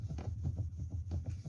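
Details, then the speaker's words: Toyota Carina E after the plastic steering column bushings were replaced: a low even engine hum while the steering wheel is turned, and the column knock is gone. "ну а теперь проверяем на стук крутим руль стука больше такого нет"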